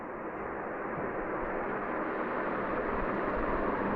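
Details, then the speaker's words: 2010 Crompton Dec'Air ceiling fan, 16-pole motor, capacitor replaced earlier with Tipcon 2.5 capacitor: smooth even air whoosh with soft steady hum, no grinding, ticking or bearing noise; normal running. "Awesome speed and performance. Capacitor is Tipcon 2.5 all capacitor. So as you know, the motor and all is in awesome condition, no bearing noise whatsoever."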